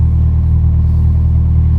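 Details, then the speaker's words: Toyota Celica at idle after the exhaust joint leak was fixed with a welded patch and paste: steady, even low rumble with no ticking, puffing or chuffing; the exhaust sounds sealed, no leaks. "Yeah, there's no leaks now"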